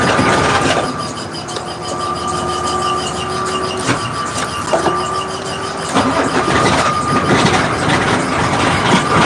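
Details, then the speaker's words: 1986 Ford CF7000 5-ton rollback, Brazil Ford 6.6 L diesel, battery switch on after trouble starting: starter grinds briefly, engine catches and settles into a steady run on the jump; normal crank and start. "Okay, so we got Billie Jean started."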